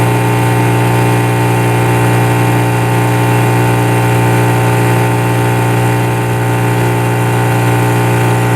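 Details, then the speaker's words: Inboard engine on boat Patricia, full power trial tied to the jetty: steady, even drone, constant pitch, no misses or knocks; earlier odd coughs gone, water telltale pouring nicely, engine healthy. "The Telltale the water Telltale that's pouring nicely so I don't think there's too much adrift with this engine"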